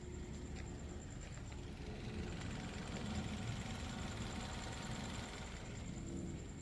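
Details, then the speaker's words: Suzuki Baleno (Maruti) petrol car idling with AC off, heard from outside: soft, low, even idle with no tapping or rattles; smooth, quiet, refined engine, normal idle. "Build quality जय भले ही कैसी हो refinement के मामले में इनका कोई जवाब नहीं"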